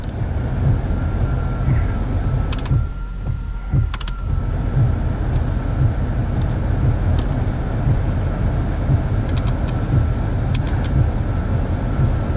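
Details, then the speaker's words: Car idling with headlights, wipers, defrost and AC all loaded after the squealing belt was replaced; steady even idle, no squeal or chirp. Belt drive healthy; the old belt had squealed on cold start and under accessory load. "all right there we have it you know the car is good"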